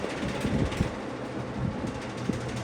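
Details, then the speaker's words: Vintage McGraw-Edison box fan, model 204002, two-speed, running on low: a low air rush with scattered, irregular light ticks from the carry handle rattling. The grill also rattles and may need balancing. "If I had my eyes closed and you said what box fan is this, just by the rattles I can tell it's an Edison. You got your handle rattle."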